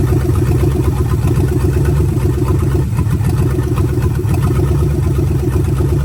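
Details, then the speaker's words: Budget 283 small-block Chevy with vacuum-secondary carb and open manifolds, just swapped into 1985 Oldsmobile Cutlass with turbo 350: deep even V8 idle with steady lope, no misses or knocks; ran full cycle, thermostat works; normal idle. "well it's good that this thing runs um went through a full cycle to open up thermostat and everything thermostat works good obviously"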